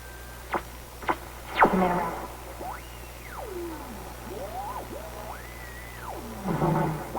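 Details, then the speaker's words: 1934 Atwater Kent 944 vacuum tube radio, recently restored, during checkout: loud whistles sweep up and down in pitch over the station audio, a heterodyne squeal on every incoming signal. Owner suspects the alignment needs tweaking. "terrible heterodyne on every incoming signal."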